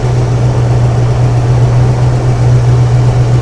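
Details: 1975 Ford Ranchero GT V8 with broken choke, hard-start and stumble from an open manifold vacuum port: with the port covered, low, steady idle with even beat, no whine, hiss or stumble. Smooth idle after sealing vacuum leak.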